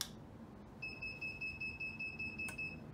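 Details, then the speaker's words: Milling machine digital readout gives a high, steady electronic beep of about two seconds at power-up after releasing the emergency stop and pressing the contact switch; normal startup, drive belts somewhat noisy. "that's a Dro that you can hear beeping and then uh the belts are a little bit noisy here so it might be a bit noisy"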